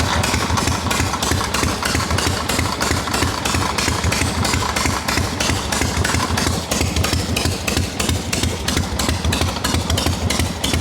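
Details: Harley XLCH chopper, fully hot, after a too-tight part was loosened to cure a kicker-gear dragging noise: even, loping V-twin idle at about three pulses a second with no stray knocks, showing normal idle.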